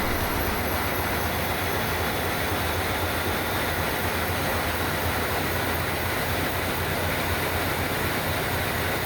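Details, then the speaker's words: Main engine of the long-dormant conservation ship MV Steve Irwin, clutched in through the gearbox to turn the propeller shaft: heavy, steady diesel rumble with a constant turbo hiss building as load grows. "wolf engine load turbo School growing and growing"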